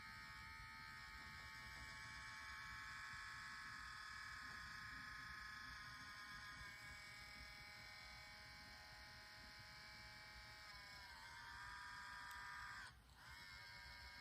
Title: Nintendo switch grinding noise